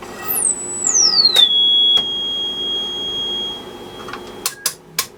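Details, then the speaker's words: Restored 1952 HP 200AB audio oscillator on the x200 range, amplitude maxed, through a speaker; clean pure whistle glides down in pitch then holds one high even tone; normal, stable sine tone output. "Okay, I got a speaker connected so we can actually hear the tone. So if you got headphones on, you might want to turn your volume down a bit. And that goes right on just about out of your hearing range."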